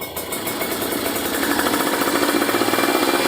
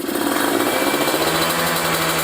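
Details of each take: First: Kawasaki Ninja 150RR two-stroke after fitting a booster/ground cable that leaned the carburettor setting, now rejetted: crisp rev climbs smoothly into the midrange and blips cleanly; midrange fuelling good, though bottom end still deliberately set rich (boros). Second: Kawasaki Ninja 150RR two-stroke with a booster/ground cable and cold-range spark plug, engine still cold, revved to 6,000–7,000 rpm: a high, fairly clean rev with slight stumbling. The carburettor setting runs lean, worse when hot; it needs rejetting.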